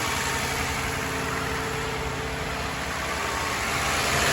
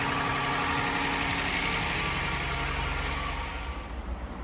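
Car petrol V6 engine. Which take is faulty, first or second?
first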